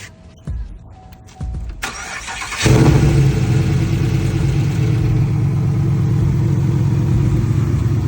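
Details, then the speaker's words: SS car that had been sitting for months, started off a portable jump starter charged to 90%: a few clicks, then the engine catches at once and settles into a steady, even idle with no hesitation. Normal start. "All right, as you can see, it started up no problem, no hesitation."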